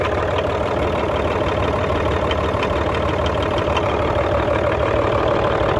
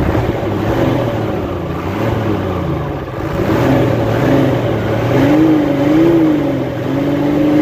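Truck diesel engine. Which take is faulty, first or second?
first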